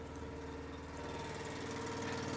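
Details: Eastonmade Ultra wood splitter small single-cylinder engine, warmed up after a control handle repair and oil change, in cold January weather: even, steady idle with no knocks or misses; healthy.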